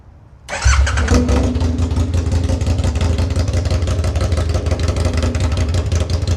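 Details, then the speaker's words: Second-generation Aprilia Tuono 1000R V2, Rotax V-twin, first start after purchase with the battery connected, fuel pump primed, no mufflers: catches instantly after a brief crank and settles into a loud, lumpy but steady idle through open pipes; healthy. "loud! that's a relief. Yeah, this is why we have mufflers on our motorcycles, to stop ourselves going deaf."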